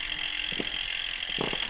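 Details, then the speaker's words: eBike drivetrain with light, irregular chain clicks over a steady hiss; the chain jumps around and won't stay on the cog, a sign of incorrect shift cable tension. "Now you can see well you can firstly you can hear that clicking noise and you can see that the chain's kind of jumping around not really staying on the gear very well. So that's kind of a sign that the tension of your shifting cable is not quite right."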